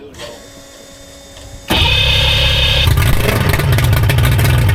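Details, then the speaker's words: Mercury outboard on a race boat, started after the harness, key barrel and prop hubs were repaired: a quiet lead-in, then it catches at once and settles into a strong, even run with a crisp exhaust beat. It sounds better than before. "That sounds better. Sounds better than 43 holes in the mid. Might even go better now."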